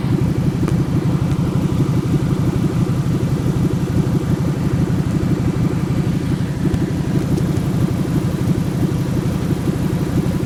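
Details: 1997 Ford F150 4.6L Romeo V8 petrol idling with low uneven stumbling chug; has sputtered at stop signs without stalling; once failed to start, reaching only about 300 rpm; owner hopes it's not the catalytic converters.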